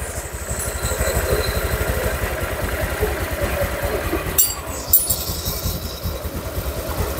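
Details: Honda Vario 150 after engine rebuild for overheating, coolant loss, rough noise and oil loss: first start after refilling oil and radiator coolant, watching for boiling or spurting. Small single-cylinder putters at even idle, handling clunks, no knock or rattle; normal idle.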